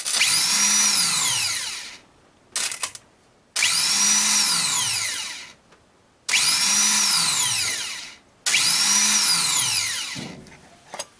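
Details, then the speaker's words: Ford F-150, new starter bench-tested after old one sounded horrible: four crisp spin-ups, each a high whine rising then coasting down, smooth with no grinding. Normal starter operation. "I'm gonna try the new starter and see what it sounds like that's what it's supposed to sound like"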